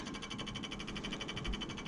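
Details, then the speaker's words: New MSI Infinite RS 11 TG-234 gaming desktop (MSI Z590 Pro WiFi) at first power-on: fast, even ticking flutter about a dozen per second over soft fan whoosh; one case fan blade rubbing, later fixed. "okay so we have power i just turned it on i'm actually going to turn this off for a second so you can see it and i'm sure you can hear that we have a fan rubbing"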